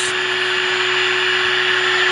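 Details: Sylvania AA5 tube radio on the bench during alignment, tuned to 1450 kc: a steady fixed-pitch whine over hissy background, traced not to the radio but to an arbitrary waveform generator on standby; test-equipment interference.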